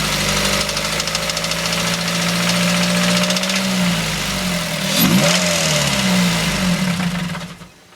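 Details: Mazda 3 petrol engine at idle; a fast, persistent ticking rattle that began after an oil change with engine flush and Seafoam. An oil stabilizer, another oil change and new timing chain, guides and tensioner did not fix it, and the belt tensioner and water pump checked fine.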